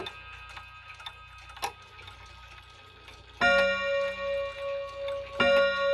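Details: Chinese Polaris 31-day wall clock with a German-inspired movement and a two-rod strike: quiet ticking, then two bright ringing rod strikes about two seconds apart with long fading tones, a healthy hour strike.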